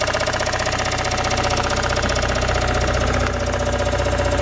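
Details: Toyota Raum 5E-FE engine after a rebuild: sharp, steady knocking at about four per second over the idle; source of the knock not identified.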